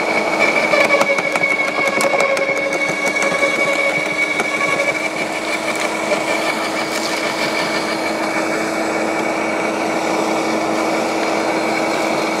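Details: LawnMaster 2800W quiet electric garden shredder, blade-to-plate gap set: steady high motor hum with light chatter as thin branches self-feed and are chewed through, even under load; cutting normally.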